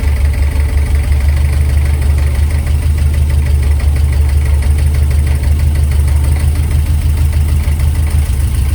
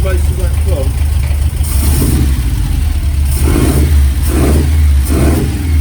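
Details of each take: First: Ford experimental prototype Corsair, fuel-injected Essex V4 with Capri 5-speed, first start in 1.5 years, tickover being adjusted with air filter off: steady low idle with a faint, fast, even clatter, the alloy timing gear rattling. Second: Ford experimental prototype Corsair GT with fuel-injected Essex V4, first start in 1.5 years, idle being adjusted without the air filter: steady low idle with a light, even alloy timing-gear whine and a few blips; healthy.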